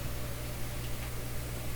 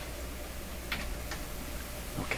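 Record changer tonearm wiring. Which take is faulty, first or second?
first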